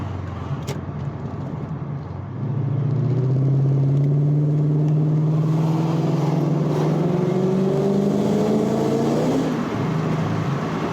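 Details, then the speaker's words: Infiniti Q45 V8 on the road after chasing an intermittent ignition timing issue (coilpack arcing, spark plug gap) with no timing pulls: deep, throatier mid-range exhaust pulling cleanly through the gears, torque on demand, no breakup; normal acceleration. "So the exhaust sounds different too. Way more like throaty in the mid-range. And just torque on demand. No breakup at all."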